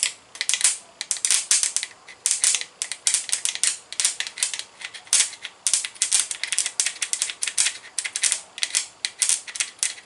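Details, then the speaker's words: 1979 Ford F150 Custom with 351 Windsor, starter test on the ground: irregular dry tinny rattling, never spins up; starter dead, suspected broken internal magnets from hammering binding it up. "well my vote was right no starter yep she's a no go they don't hear the starter reason they say don't beat on them with a hammer is because it breaks the magnets inside of them once the magnets get broken into pieces it'll bind the starter up"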